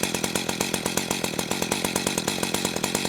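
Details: Echo CS-590 chainsaw after idle-screw tuning, tachometer about 2,700–2,800 rpm: crisp, even two-stroke putter at a steady fast tick, no hunting or stalling: clean, well-set idle.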